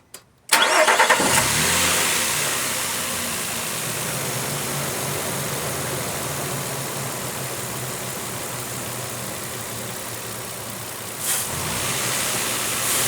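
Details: 2007 Nissan Frontier after dealer replaced camshaft chain, tensioner face, O-ring seals and front crankshaft oil seal to cure an engine whine: engine catches quickly, settles to smooth even idle, clean rev-ups, no whine.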